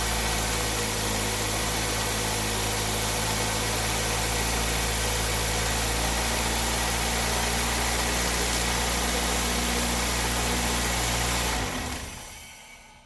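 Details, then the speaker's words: 2003 Toyota Corolla 1.8 L automatic, just after crank seal, valve cover gasket and tensioner O-ring replacement: steady even idle, a slight early lope from brake clean in cylinder 1, no chain slap or rattle, then shut off. Normal idle. "Now the key thing to listen for when you fire it up is that the chain takes up all the slack and that you don't have it slapping around excessively."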